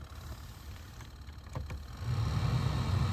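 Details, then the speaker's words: Car blower fan, previously not working with no heat from the vents, spun by hand with the filter removed, then switched on with key in on position: low, even whir holding steady, no scraping or ticking; working normally. "it's actually working. So something was stuck in there, or it probably just needed assistance, but it's working now though."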